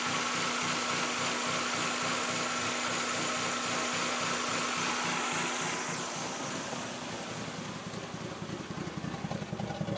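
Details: 1996 Mazda Miata 1.8L at idle: uneven loping beat about three and a half pulses a second, settling somewhat near the end; rough idle, cause unknown.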